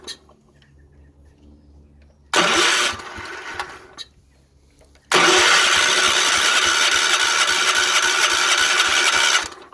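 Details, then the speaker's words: 1970s Wheel Horse C121 8-speed mini tractor with single-cylinder Kohler engine, fuel pump rewired and pressurizing, points untested: two bursts of cranking then catches and runs at a steady, even beat for about four seconds before shutting off: normal start and run. "Ooh, sounds like it's going to go."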